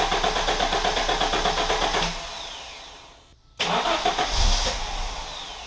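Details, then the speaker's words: 1987 Audi 5000 CS Quattro turbo just after replacing the CIS fuel injectors and spark plugs fires quickly, cuts out briefly, then restarts and settles to an even idle; much smoother, without the former stuttering in the first 15 seconds. "there we are i have to say this thing runs a lot smoother and when i turn it on it doesn't do that stuttering in that first 15 seconds"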